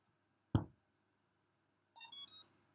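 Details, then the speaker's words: Afro 30A ESC with motor attached, after flashing BLHeli firmware: soft thump at battery plug-in, then three rising beeps from the motor, confirming normal arming and successful programming. "And it's as simple as if you plug in your battery, you should hear the audio three beeps."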